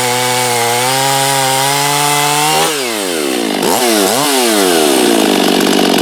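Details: Husqvarna 254 chainsaw, once trashed and rebuilt, not broken in, open-port cylinder, muffler mod, decked cylinder, at wide-open throttle: tight high scream dropping and wavering as it bites wood; owner thinks slightly lean on top.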